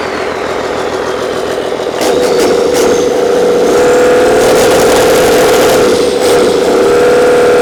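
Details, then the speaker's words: Old 12-valve Cummins diesel, stored almost a decade, first start: steady, even clatter at constant speed, no misses, knocks or surging; not much blow-by. Normal diesel idle. "come on I don't know runs pretty nice doesn't have real bad Bob by either"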